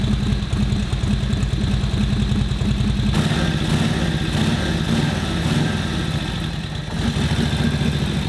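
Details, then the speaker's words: 1941 Harley-Davidson WL 45 cubic inch V-twin after ignition timing setup: uneven loping idle that won't settle into clean tickover; mixture not finally adjusted, carb strip and float level check planned, cause unconfirmed. "Take the tick over up a little bit. I'll strip the carb, I think. Check the float level in it, because you're not getting a final mixture adjustment."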